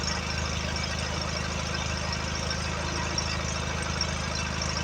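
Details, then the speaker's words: Allis Chalmers 716 hydrostat garden tractor's Kohler twin 17 engine, restarted with fresh gas and clean oil after blowing a geyser out the vent: low even twin rumble, steady beat, no misfire or knocking while burning off oil-fuel mix; runs healthy. "let it run for a minute burning all that oil fuel mix out of these dogs yeah she's running good"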